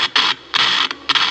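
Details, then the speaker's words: Philips RL 118 radio, transformer disconnected and run on an external 3 V supply, works but gives harsh scratchy hiss bursts cutting in and out while tuning; gang capacitor shorted internally, to be replaced along with faulty volume control. "ഒരു ചെറിയൊരു പ്രശ്നമുണ്ട് വേറൊന്നുമല്ല gang capacitor അതുകൊണ്ട് ഇത് complaint ആണ് അതുകൊണ്ടാണ് ആ ഉറച്ചിൽ sound"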